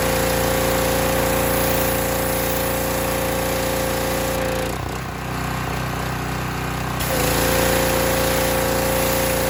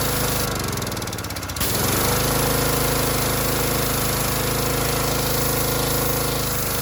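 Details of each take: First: Harbor Freight Predator pressure washer after adjusting the unloader set screw with a socket wrench: steady, even engine drone with a constant tone, briefly dipping then recovering and holding speed; adjustment made a big difference, normal running. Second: Harbor Freight Predator pressure washer, bought as junk, whose unloader had been misassembled, possibly damaging its seat: steady engine drone with a brief hard knocking burst as the trigger squeezes; unloader cycling, needs adjusting down at the bolt.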